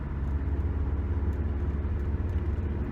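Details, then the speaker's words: Magnaflow 11366 performance muffler on a 2010 Subaru Impreza, coasting at 50 from the cabin: quiet low rumble with road drone, barely audible, though giving gas vibrates everything at the back; normal exhaust note. "can hear that and I give you gas but I'm just coasting at 50 it's not too bad give a gas vibrates everything that's fine"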